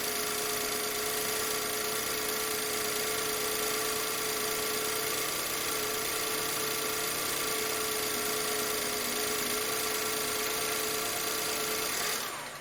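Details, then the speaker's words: 2008 BMW E91 318i after new spark plugs and coil packs: smooth, even idle with a steady hum and no stumble; misfires gone, all cylinders firing cleanly. "so great news um these fires are gone so don't have to worry about injectors now because those are really expensive"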